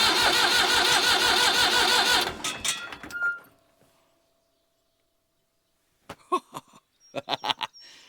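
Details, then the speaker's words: Tractor with a years-long electrical fault, after the starter was found to be the problem, cranked with the fuel off to purge the fuel system: strong, even two-second crank that stops cleanly; cranking is normal. "Ah, it works. Perfect. So, the problem was the starter."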